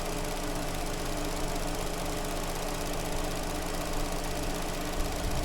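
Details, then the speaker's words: Vauxhall Astra after replacing a coil pack that was arcing on cylinder 2 and causing a misfire: even, steady idle with a smooth low hum and no stumble or uneven beat; engine now running cleanly on all cylinders. "obviously it's made a hell of a difference to the engine and now it's running perfectly fine"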